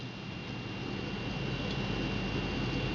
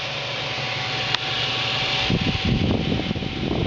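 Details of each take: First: HD4870 graphics card after fitting an Arctic Cooling Accelero Twin Turbo cooler, running about 10° cooler: only a soft steady airy hush with a faint tone, no whine, nearly silent versus the jet-engine stock cooler. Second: Radeon HD4870 GPU cooler, dual fans set to 100%: loud steady rush of air with thin whine swelling into a rough roar; too loud compared with normal 50%.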